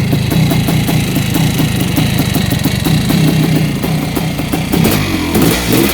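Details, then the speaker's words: Yamaha YZ490 air-cooled two-stroke after rebuild: steady crackling idle with quick even popping and a few throttle blips; runs clean and normal, maybe a little rich from assembly oil. "all right let's shut her down well that is a thing of beauty wise that 490's running sounds good maybe a little bit rich it's hard to tell with the oil from assembly"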